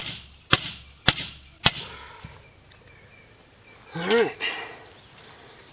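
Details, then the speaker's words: Hay mower cutter bar rivet being hammered tight on the hardy hole during repair: three sharp ringing blows about half a second apart, then a crisp final strike; the clean ring shows the rivet seated tight. "Now you can hear it get nice and tight right there."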